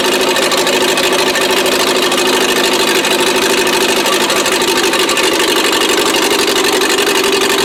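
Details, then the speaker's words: 1959 Morris Minor 1000 running on only the two rear cylinders. Uneven, stumbling idle with dropped pulses, a misfire that a new spark plug did not cure. Owner suspects a plug wire; not confirmed. "okay so i changed the spark plug and this is making me think that it's a wire"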